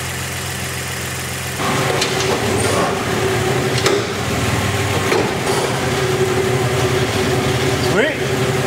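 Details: 2001 Dodge Dakota 3.9 L V6 running to verify diagnosis of bad idler pulley bearing: even engine hum, no squeal, tap or rumble; normal running.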